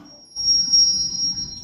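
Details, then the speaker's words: Apple HomePod with bass issue after DC-voltage "death farts": startup chime thin and tinny with bright bell tones and no low end; subwoofer speaker cooked, burning smell. "So, this one sounds like it's a little too late for its subwoofer speaker. the DC voltage or those uh those death farts have done its damage to that and uh completely cooked it."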